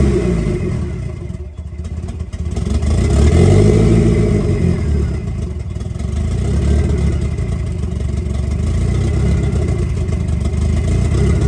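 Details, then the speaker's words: 1990 Mitsubishi Eclipse GSX, first start after intake manifold refit and top-end reassembly: engine fires and holds, revs around four seconds, then settles into steady low rumble; running normally. "Oh man, that's super exciting. Okay, so at least we got that out. We know the engine runs and everything."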